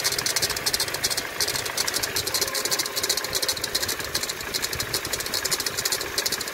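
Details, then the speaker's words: 2019 Toyota Tacoma 2.7L at about 90,000 miles: bright, fast metallic chatter over steady idle not following engine load, from a noisy idler pulley; idler, tensioner and belt being replaced. "una de las poleas guía o la polea loca ya está haciendo ruido"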